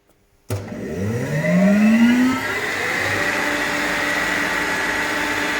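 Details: RENNER RS TOP 7.5 kW screw air compressor, 2013, just under 5,000 hours, regularly maintained with new air/oil separator, oil and air filters, starting: rising whine over two seconds, then smooth even hum, no knocks or rattles; normal.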